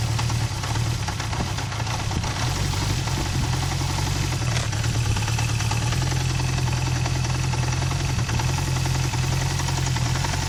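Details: Recently bought Honda CB350F idling, idle rpm suddenly dropped low: loud fairly steady idle with a dull rhythmic clunk through the low rumble; knock at idle, cause not traced.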